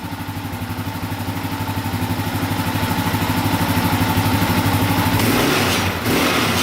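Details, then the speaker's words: Yamaha Raptor 660R ATV single-cylinder revved: loose metallic rattle rising with revs; owner suspected the skid plate, pressing it didn't stop the noise, and a missing skid plate bolt was then found. "so right now we've got a weird rattle noise uh for those of you that haven't seen the previous video i'll start this thing up for you guys you can hear it when you rev it up right there"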